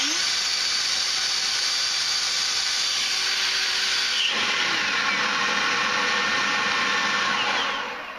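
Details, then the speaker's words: EGO 56V leaf blower on turbo mode powered by a XAVITO 4Ah (claimed 5.3Ah) EGO-compatible replacement battery: strong steady high-pitched whoosh, smooth spin-down; runs normally, charge lights dropping from four to two under load from voltage sag. "all right so it definitely is powering the leaf blower no problems"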